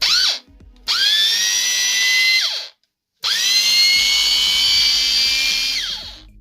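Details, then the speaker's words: Bosch angle grinder after opening it up and finding a worn pinion gear; two runs with a clean high whine spinning up, holding steady with no rattle or grind, then winding down; gearbox smooth, though the brushes are somewhat worn. "se aude altfel acum."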